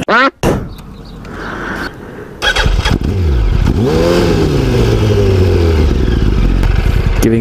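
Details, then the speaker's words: Motorcycle with a Power Commander fitted: engine stumbles and fades, then throttle blips rise and sag unevenly. Idle is so low it shuts off and sounds ready to sputter and quit; raising the idle had no effect. Owners suspect the Power Commander; unconfirmed. "doesn't seem to do anything for our bikes and it just does it it shuts off that oh so low that it doesn't even"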